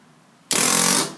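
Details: Spyder Victor CO2 paintball marker: a harsh half-second hiss on firing instead of a crisp pop, the first shot usually okay; the marker dumps gas, cause unknown.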